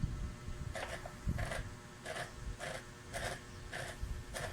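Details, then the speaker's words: Mitsubishi Adventure speedometer before repair, cable turned slowly by hand: noisy gauge, worse at speed, odometer stuck, and a new cable didn't help. Rough, raspy scratching about twice a second, intermittent; gauge mechanism grinding. "Yun, maingay nga oh. Parang may magas pang mga sir oh. May time na wala, may time na meron."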